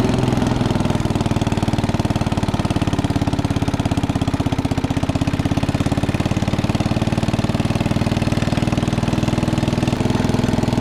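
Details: 1961 International Cub Cadet Original tractor, 7 hp Kohler single-cylinder, driven after new tubes were fitted: steady, even thump at a constant fast rate with no knocks or misses; runs healthy.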